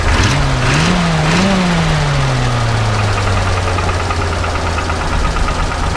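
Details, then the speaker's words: 1936 Ford Model 68 V8 Fordor Touring Sedan, warm after driving, not overheating; blipped twice then settling to idle, with a sharp puffing tick over the rumble after revs: small exhaust leak. "go ahead and rev it up a little bit you can hear that little bit of an exhaust leak uh as well"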